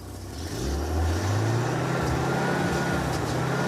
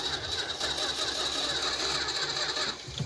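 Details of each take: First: Old carbureted engine with a Monojet one-barrel carburetor, during a tune-up with cleaner sprayed down the throat: quick, clean blips that rise and drop crisply with no misses or knocks; snappy and healthy. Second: Junkyard '75 Dodge Dart that seemed to fire once when the key was released: rapid rhythmic cranking that catches and runs briefly before fading; it starts after the ballast resistor is bypassed.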